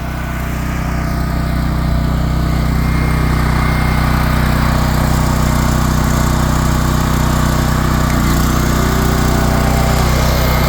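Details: Champion dual-fuel portable generator, weekly run, set on a slight slope: single-cylinder engine at steady even governed speed with regular exhaust beat, no surging; healthy running.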